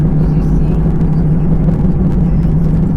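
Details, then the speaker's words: 2005 Honda Pilot after rear subframe rust repair (replating, welding, rear end rebuilt) chasing a rear passenger-side noise: driving over bumps gives steady low road rumble with no knocks or clunks; suspension now normal, noise fixed. "nope just normal bumps yay we fixed it"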